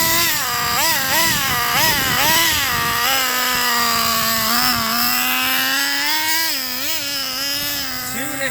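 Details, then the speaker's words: 2008 Traxxas Revo Platinum Edition 3.3 nitro RC truck, first start after about 2.5 years sitting: high, buzzy engine blips and revs unevenly with a soft burble, exhaust super dark blue; nitro engine running rich. "It's running rich. If you notice, the exhaust is super dark blue. It's running super rich right now, but it's fired right up after 2.5 years."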